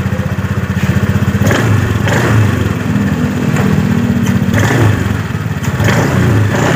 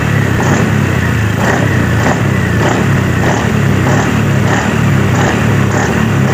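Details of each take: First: Honda Scoopy 2018 scooter at low rpm, throttle snapped: loose clattering bursts and vibration from the CVT housing, rear wheel creeps on its own, owner says it lacks power; worn CVT clutch shoes. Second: 2018 Honda Scoopy after new CVT clutch shoes were fitted: an even engine drone with throttle blipped in regular surges, and no rattle on take-up. The earlier metal-on-metal clatter is gone and the CVT runs normally.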